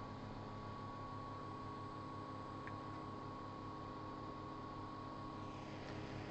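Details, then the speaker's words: G5 CPU fan converted to a Zalman motor, running at 2,000 rpm for comparison with the original: a smooth, even low whir with no rattle, much quieter than the original mechanism. Normal running. "I think you'll agree the converted fan is much quieter than trying to run the original mechanism."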